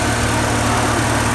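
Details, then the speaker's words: Porsche 944, warm engine, idle lowered from about 1,400–1,500 rpm by throttle adjustment, aiming for 1,000 (stock 950–1,000); smooth, steady, calmer idle, still slightly fast. "So we're gonna make it 1,000. All right, you can hear that it's definitely a lower idle now."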